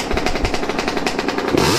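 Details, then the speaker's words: Yamaha YZ125 two-stroke after carb air-screw adjustment found the sweet spot: crisp, even pops rising quickly as the throttle opens, no bogging or misfire, revving out cleanly; sounds way better than before. "let me know how she sounds she sounds way better way better than she used to sound"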